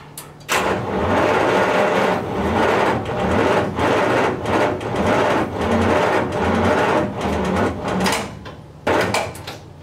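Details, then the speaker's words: 1939 Buick Century after engine rebuild, timing being retarded and the battery possibly getting low: long pulsing cranking bursts that never fire; owner suspects bad gas with water in it from his gas can. "still nothing foreign oh my gosh it's so close let's go a little more"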